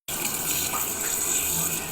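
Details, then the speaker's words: Toilet cistern fill valve keeps running: constant hiss of inflowing water never stops, level rising above the overflow; the small rubber seal plug at the fill valve's vent hole is dented in by water pressure. "马桶发出这种声音是什么原因造成的？我们今天一块来研究一下。"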